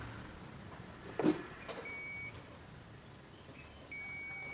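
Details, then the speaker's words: LG inverter direct-drive front-loading washing machine, dead, multimeter continuity test on power cord to plug: clunk of probes then two clean steady high beeps; continuity beep, cable intact. "Di sini masih terdengar bunyi buzzer teman-teman. Itu pertanda kabelnya oke. Dan kabel tidak terjadi permasalahan."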